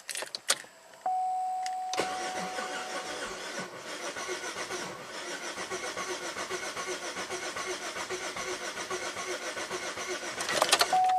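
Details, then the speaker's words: 2008 Buick LaCrosse 3.8 V6, 68,000 miles, stalled and dead three months despite new ignition parts, sensors and ECM, no codes: chime then long steady starter churn about 3.5 beats a second, never fires; struggling crank, timing problem suspected, unconfirmed. "I'm just going to crank it normally it's really struggling almost like it has a timing problem"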